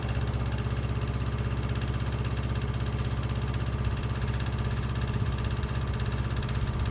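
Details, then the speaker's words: Miele Honeycomb Care W418 5 kg washer, overloaded with bricks, final spin set to 1600 rpm: fast regular thumping about three per second over loud spin hum; owner suspects broken drum spider, drum wobbles and is noisy above about 900 rpm. "this one has I think the spider is broken so when you when you rotate the drum it wobbles kind of you know ever so slightly and it's fine up until about 900 rpm spin once you put it on for a 1,600 spin makes a lot of noise"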